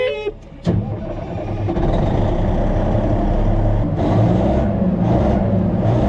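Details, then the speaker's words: Cat AD45B underground mining haul truck, freshly topped off: heavy diesel catches after a short crank, then settles into a deep, steady "kitty purr" rumble with even throttle blips; sounds healthy. "to that kitty purr."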